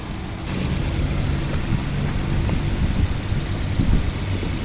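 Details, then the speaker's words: 2011 Nissan Sentra 1.6 petrol idling with air conditioning on: steady, even low hum with no stumble or shaking; the earlier misfire with AC on is gone. "After starting the car engine and turning on the air conditioner, the engine no longer misfires. Now the engine does not misfire anymore. Look, now the engine does not shake anymore."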